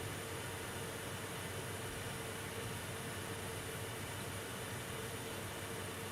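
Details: MSI R7950 Twin Frozr graphics card at stock 880/1250 MHz, 99% load, 64°C, fan 48% (2163 RPM): steady even airy whoosh with faint constant hum around 400 Hz, no ticking or grinding; normal cooler noise.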